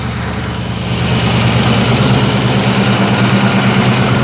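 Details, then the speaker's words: 1989 Ford Mustang LX 5.0 V8 convertible, stored 3 to 4 years, after fuel filter change for fuel flow and pressure problems, pressure about 38: picks up into a steady, even V8 burble with no stumbles; idling cleanly. "sounding pretty healthy it's not dropping any gas"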